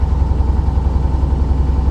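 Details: Corvette just started on the second try in the 40s °F, usually needing three attempts: low idle thump with an occasional uneven, soft beat breaking the rhythm; a little misfire at idle.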